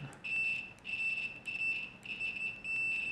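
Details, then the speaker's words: UNI-T UT125C multimeter in continuity mode with its fixed soldered-on leads: five short, high, slightly rough beeps about half a second apart as the probes touch, with a slight delay; the tone works and is fairly loud, if a little scratchy. "We're in continuity mode right now. There's a slight delay."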